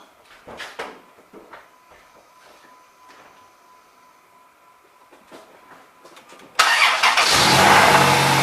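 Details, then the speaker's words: 2005 Chrysler Town and Country after throttle body cleaning: engine starts right away, catching instantly and settling into an even, steady idle with no stumble or misfire. Normal start and idle. "So this time it started right away,"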